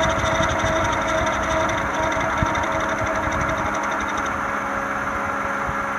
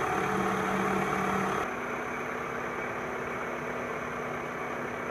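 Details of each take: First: 1996-2001 Toyota Camry 4-cylinder at rough, shaky idle: uneven rhythmic ticking and knocking about three beats a second from a failing harmonic balancer, before replacement. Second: 2000 Toyota Camry four-cylinder, harmonic balancer job (first noticed as a faint squeal with the AC on): a smooth, even idle with a steady hum and no knocking, rattling or shaking; running normally.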